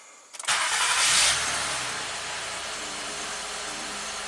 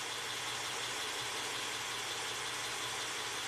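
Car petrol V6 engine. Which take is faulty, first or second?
first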